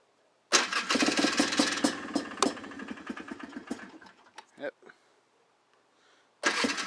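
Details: Polaris Trailblazer 250 two-stroke ATV started cold the day after a Mikuni carburetor rebuild. It catches on choke with a rapid crackling beat, fades and stops, then fires straight back up. Normal cold start and idle.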